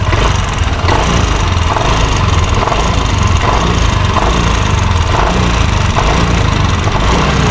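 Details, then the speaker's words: Yamaha NMAX scooter with a noisy engine: rough, uneven low idle rumble with faint clattery ticks on top. "ya dia ada kendala ini suara mesinnya berisik ya bisa kita coba hidupin bisa didengar suara mesinnya nih seperti ini"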